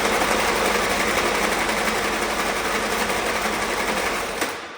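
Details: Old Willys Jeep that has been sitting, cranked with fuel in the filter but before the carburetor was tapped. Steady fast starter chugging at about four turns/s with no firing; cranks, no start.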